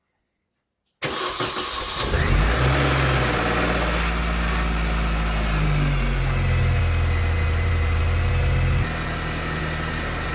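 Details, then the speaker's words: 2003 Mini Cooper S R53 on first startup after in-car rod bearing replacement, running cheap flush oil: catches on the first crank, flares briefly, then a smooth, even idle with no knocking. Normal start and idle. "sounds good we'll let that run for a while on your first startup"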